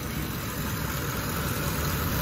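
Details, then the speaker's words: 2009 Ford F-150 5.4 three-valve after a botched timing job: deep, heavy, strained uneven idle; suspected broken PCV baffle in valve cover pulling too much, lean codes; rough laboring idle, cause not confirmed. "it's like laboring and it's not correcting for it because all the air is coming in and going into the system is being accounted for by the mass airflow sensor so both throwing a lean cone"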